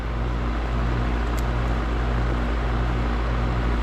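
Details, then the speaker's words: Goodman heat pump outdoor unit with a customer complaint of loud clunking: at this moment a steady low hum with an even fan rush, no clunks, rattles or scraping. Fan running smooth, normal running. "no noise right now Fan's running smooth"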